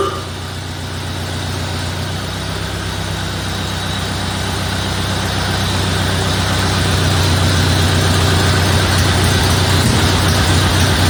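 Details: 1931 Ford Model A Victoria after an in-frame camshaft and tappet (valve lifter) replacement: a steady, even low idle at about four beats per second, with no ticking or knocking. It sounds like it always did.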